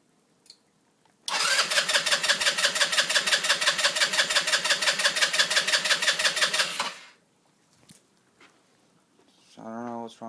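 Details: 2007 Baja SC150 scooter with new spark plug, plastics removed, which ran 10 minutes then wouldn't restart: steady starter whirr, even pulses near three a second for about six seconds, no firing; cranks but won't start.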